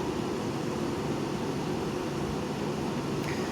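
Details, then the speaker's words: Hampton Bay 10,000 BTU window air conditioner dated 04/10/2000, tested before cleaning and servicing, fan on high: even, steady airy rush over a low hum with no rattles or pulsing; quiet, normal high-fan operation. "It's actually really quiet. High fan. Which, you know what, on a hot day, put it on high, which you should always run the units on high for the condenser airflow."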